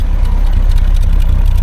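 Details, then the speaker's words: Triumph Herald Estate: low, lumpy idle with uneven popping exhaust beats, not responding to timing or mixture tweaks. The lift pin shows the mixture right to slightly rich, it revs on throttle without dying, and the owner suspects the carb and plans to try a known-good one. "Farty farty. But it, you know, we can move it off the drive now. It's not going to die. You just touch the throttle and it revs up, and you can feel it's just a bit lumpy."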